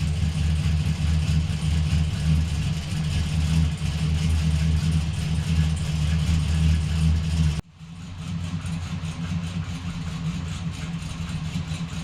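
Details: Blazer after transmission repair, next-day restart to check fluid before test drive; steady even low rumble throughout with no knocks, flare or slipping: normal running.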